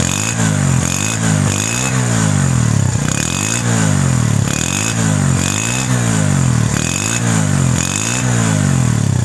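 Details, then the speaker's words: Motorcycle with a new Euro-technology silencer, new kick and kick shaft: repeated quick throttle blips, revs rising and falling cleanly and crisply with no misses or rattle. Healthy running. "अब इसका सबसे पहले sound सुनते हैं कि sound कैसा है। माशाल्लाह बहुत ही आउट क्लास साउंड है।"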